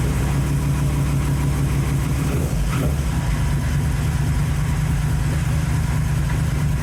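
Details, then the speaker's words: 1931 Ford Model A four-cylinder, first run since November after carburetor work: steady, even low idle rumble with no knocks or misses; running smooth and healthy. "I have a fantastic automobile right here you can hear how good it runs"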